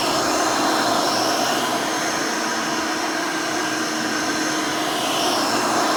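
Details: Rebuilt Hoover Elite 600 upright vacuum, built from parts of several Elites, with a new 7 amp motor and 20-blade fan replacing the original 6 amp: a steady, even rushing whir with a smooth airy hiss and no knocks or rattles. Running healthy and fairly quiet.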